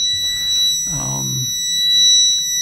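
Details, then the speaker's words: Power Jack 10000 split 24V inverter, damaged on arrival, fed 26.9–27 V: steady high-pitched continuous fault alarm; owner first thought low battery, MOSFET boards look good, cause not confirmed. "I got 26.9, 27 volts going to it, and I keep getting this alarm. I thought at first it was the excuse me, the low power, low battery, but I get that noise and then I get that."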